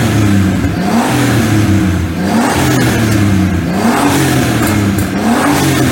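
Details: BMW E46 328i turbo conversion revved through different engine speeds while staying off boost, after turbo refit, a shorter and steeper oil return, full breather removal and 1 L of oil drained to fight oil smoke: smooth even rises and falls, no knocks or rattles; normal revving.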